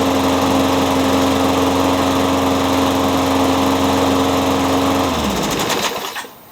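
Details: Curb-found walk-behind mower, fitted with a new diaphragm and spark plug, a spare used muffler and a scavenged cable: a small single-cylinder engine holds a steady even drone with no misses, then shuts off; runs well, needs a tune-up.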